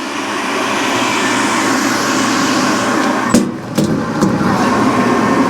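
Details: 2017 Central Boiler Classic Edge 550 outdoor wood boiler, newly replaced combustion (draft) blower, mic held up to the fan: smooth, steady rushing with no rattle or ticking, just a few handling knocks; very quiet compared with the rickety old blower.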